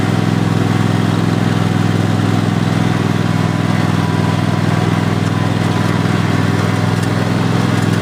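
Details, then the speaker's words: 2015-engine Cub Cadet XT1 Enduro Series lawn tractor (2016 machine, 4-5 years old) driving forward on the hydrostatic drive pedal with the deck engaged: even engine hum, steady low drone, no whine, grind or clunk; transmission sounds healthy. "forward yes steering feels good doesn't have any weird Suns coming to a transmission"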